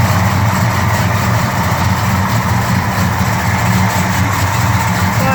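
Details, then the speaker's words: 1969 Dodge Charger R/T with Hemi transplant, single four-barrel, 6-speed, stone-cold start (engine temp about 75°F): deep, even V8 burble holding steady with no misses or knocks; healthy cold idle. "client wants to hear this car from a cold start perspective and that's what we're going to give him"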